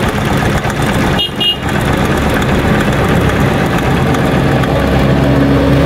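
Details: Single-cylinder motorcycle engine started cold: a light, quick ticking rides over the exhaust beat. The ticking is loud when cold and goes away once warm. Cam chain tensioner tick, the chain slapping.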